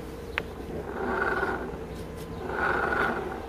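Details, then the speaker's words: Honda Vision 50 scooter, clutch bell refitted, rear wheel turned by hand: two slow rising-and-falling scraping hums, suspected clutch rubbing inside the bell, not confirmed; scraping noise when rear wheel turned. "Hört sich auch noch verhältnismäßig normal an, das Ganze. Nein, hört es sich nicht."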